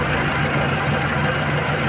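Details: Renault Clio 1.6 16v after a broken alternator one-way pulley and the belt were replaced: steady, even idle with smooth hum, no squeal or chirp from the belt; running normally.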